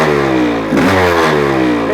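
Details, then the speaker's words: 1985 Honda CR500 two-stroke engine in a 2007 CRF450R frame, just built, choke off, muffler fitted: revs up and back down with a slightly soft, blubbery exhaust edge; runs but still a bit rich and smoky. "it's still a bit Rich which is okay sounds like it has a cam in it you know"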